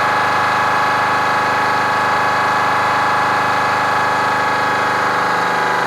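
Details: Kenworth cabover diesel truck "Marla" with a fuel problem, idling with an uneven, lumpy beat and one cylinder not pulling; diagnosed as a misfire from a bad injector on the third cylinder back on this side, to be replaced.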